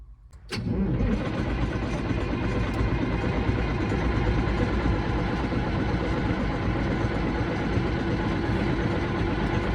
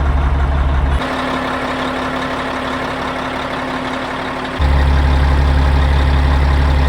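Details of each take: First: Caterpillar 3406E diesel in a D350E Series 2 haul truck, 18,676 hours, coolant and oil OK, fuel primed: about ten seconds of steady starter cranking at roughly three turns a second, never firing; laptop shows the engine ECM not communicating, so no fuelling. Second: Caterpillar 3406E diesel from D350E Series 2 haul truck, test run, a little warm: deep steady idle, no knocks or misses; held good oil pressure, no bad blow-by, though oil leaking at rear; runs good.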